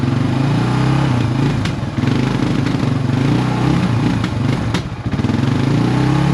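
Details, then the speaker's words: 1999 Suzuki DR350SE on a new AGM battery at warm idle: a steady, even single-cylinder thump with no misses or stray clatter; running well, charging at 13.3–13.4 V at idle. "It sure is running good, man. Don't it?"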